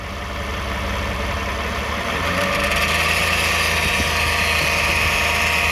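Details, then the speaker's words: 2009 Toyota Sienna minivan, recorded from underneath at idle: thin constant high buzz over steady idle persists after flex plate bolts and teeth checked tight; flex plate believed okay, source unknown, suspected torque converter or transmission pump. "The noise is still on. We expect the flex plate is okay, but something wrong."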